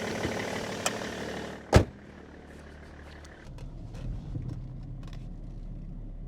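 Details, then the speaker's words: Car started with Lokithor JTC4250 jump starter, reaching 13-14 V; coolant level warning. Loud clunk as the clamps come off, then a low steady even idle with no misses or knocks: normal idle. "Oh, I can already hear the compressor working Coolant level too low And it runs!"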